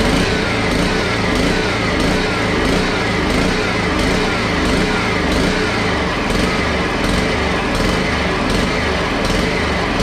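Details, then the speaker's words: Honda HRX217 lawn mower running with an uneven beat pulsing about every two-thirds of a second; carburetor problems and surging noted, with an extra gasket stacked between air filter plate and carb; rough running. "hmm so so obviously there's a few cart problems but the wheels do work based on the front video or the video before this"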